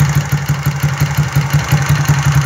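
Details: Fuel-injected single-cylinder motorcycle with a 03 performance camshaft, after valve clearance adjustment: even idle at about eight deep firing pulses a second, no ticking or clatter; the earlier noise was unadjusted valves.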